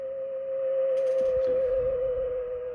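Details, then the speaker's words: Hallicrafters S-40A receiver with no antenna connected, volume turned up: a steady, loud pure tone near 550 Hz over faint rustling is the overly strong local oscillator leaking into the audio. "And what we're hearing here is the local oscillator from this, and I'll turn it up enough so you can hear it."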